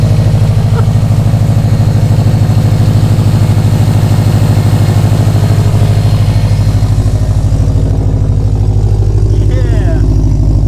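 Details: Subaru STI (Launch Edition build) at first start after assembly: steady idle with a loud rhythmic puffing at about three beats a second. This is an exhaust leak because a sensor was left out of its port.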